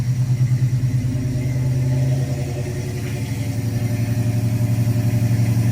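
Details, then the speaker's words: 1970 Dodge Challenger with 440 V8 and FiTech fuel injection, heard at the tailpipe after new spark plugs, having skipped badly the day before: deep, even idle burble with no misfire, normal exhaust note. "Sounds pretty good to me. Sounds damn good."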